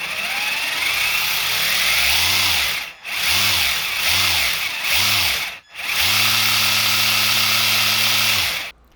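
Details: Traxxas TRX-4 Ford Bronco RC crawler, before maintenance of motor, gears, portal axles and diffs: high, rough gear whine rising and falling with throttle bursts, then steady run; noisy drivetrain, cause not pinned down.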